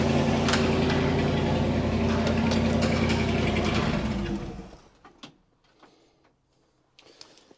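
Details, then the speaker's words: 1960 Chevy Brookwood wagon, sat 20+ years, rebuilt carb, new points, electric fuel pump, manual choke: idles with steady quick knocking about three to four a second over exhaust; runs smooth but knocks badly, owner suspects rod knock, unconfirmed. "we've discovered a problem and I think it has a rod knock so I'm going to fire this thing up again for everyone and we're going to listen to it"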